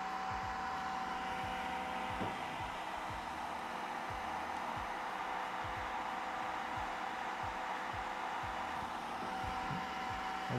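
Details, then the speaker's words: Creality K1 side cooling fan with a 3D-printed ring muffler modeled on a Boston University design (five-star thread surrounded by rings): steady airy whoosh with faint constant high note, no rattle; 65–66 dB, airflow 7.5, fan running normally. "getting 65 to 66 DB so it's not as good in terms of noise but let's check the air speed"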